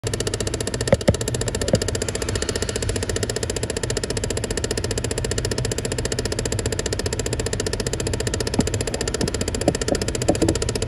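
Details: Chevy Impala at idle: light, fairly regular clicking, about three to four a second, from behind the glove box.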